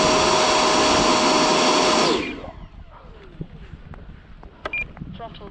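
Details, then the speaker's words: Avanti EDF jet on a new, uncycled 6S LiPo pack, pre-takeoff full-throttle check at about 83–85°F: steady high-pitched fan scream held evenly, then clean spool-down after throttle cut; ducted fan pulls strongly and sounds good. "She sounds good. All right. Again, just quick battery checks, making sure that I'm not going to end up with any problems."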